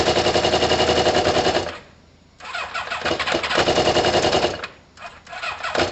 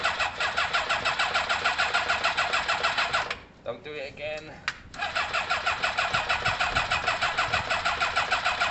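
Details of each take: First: Kawasaki ZL600 motorcycle with new coils, tuned carbs and valves done, after swapping plug leads; cold, coolant hoses off: engine catches and revs in sharp, rough blips with short drops between throttle bursts, now firing evenly and running normally. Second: Kawasaki ZL600 motorcycle with new coils, tuned carbs and valves done: steady fast starter churn around three beats a second with no catch or firing, a pause, then more cranking; crank-no-start, owner suspects some plug leads need switching.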